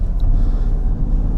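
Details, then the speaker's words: 2016 Peugeot 208 1.2 VTi 82 hp petrol, 66,000 km, 5-speed manual, just started: starts instantly, short stretch of smooth, low, even idle with no knocks, ticks or misses; normal. "Je commence par démarrer le véhicule. Déjà vous voyez, il démarre au quart de tour."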